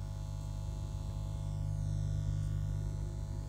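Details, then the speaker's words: Pro-Ject Essentials II turntable into a Pro-Ject Phono Box: a steady low 50 Hz buzz through the speakers, AC interference because the preamp runs on an unearthed DC adaptor; fixed by earthing the Phono Box and phono cable with a ground wire. "so it's buzzing it's a buzzing issue right I'm sure you can hear it and based on my research it's actually a very common issue with setups like this"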